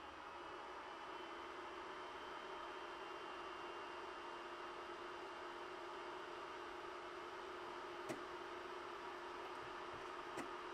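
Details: Ender 3 printing (SKR Mini E3 board, Noctua hotend and mainboard fans) with the stock power supply fan kicked in: steady soft whir, faint even tone, a couple of light clicks. Normal, slightly louder than idle but quiet.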